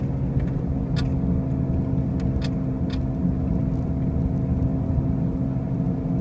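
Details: 2005 Pontiac Grand Prix driving: a heavy, steady low rumble and constant hum in the cabin, despite brand-new wheel bearings and new tires. The cause is unknown.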